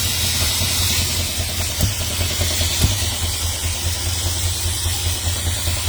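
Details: 1970 Dodge Charger V8 at idle after lifting off the gas: lumpy idle with a steady low beat and a puffing hiss on top, which the owner takes as a vacuum leak; oil and exhaust leaks also noted.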